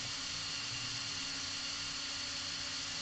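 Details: Hobby King brushless RC car motor on 12 V battery, controller just configured manually via beep programming, running forward and reverse: smooth, even high whir with steady tone, no stutter or rasp; motor and controller working properly.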